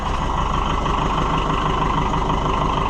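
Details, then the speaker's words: Oliver 550 diesel tractor at steady, even idle during wiring work, smooth low thump about three beats a second with no knocks or misses; runs healthy. "I'm just so happy to hear it run. I mean, and it runs so pretty."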